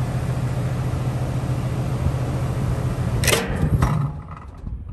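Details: Three-and-a-half-ton condenser from 2019 with a new OEM fan motor: a steady low hum, then one harsh bang and rattle only at shutdown. It was quiet at shutdown with the fan motor unhooked; cause unconfirmed.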